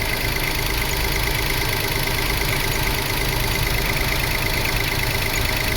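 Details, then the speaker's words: 2005 Toyota Passo after replacing damaged relays and clearing codes: even, busy idle over 1,000 RPM, no dip or settle, higher than normal; fast idle. "Oh, we do have a fast idle. It sounds like we don't, but we are at over 1,000 RPM."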